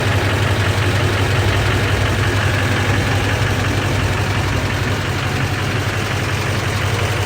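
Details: LBZ Duramax diesel at idle: regular, sharp knock about two beats a second over steady idle; engine knock, cause undetermined.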